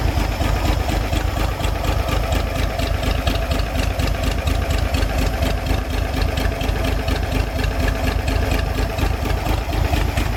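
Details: 1962 Chevy K20 truck engine just started after cylinder head rebuild with lapped valves and a new exhaust valve: low lumpy idle around two beats a second with an occasional uneven skip; owner hears a slight misfire at idle.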